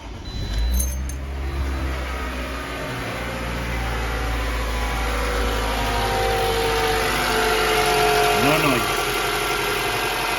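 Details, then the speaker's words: 2012 Toyota RAV4 with engine rattle, running with the accessory belt removed (alternator already replaced): steady smooth idle with no rattle or tapping, showing the noise is not inside the engine but in belt-driven parts. "okay no noise so what that tells you no noise would that tell you is that the problem is not internal the noise is not in the engine"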